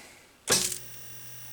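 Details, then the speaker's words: Tempest WG6100 monitor after repair, power-on: sharp crackle at switch-on then faint steady high whine as high voltage and deflection come up; normal. "heard high voltage and I hear deflection"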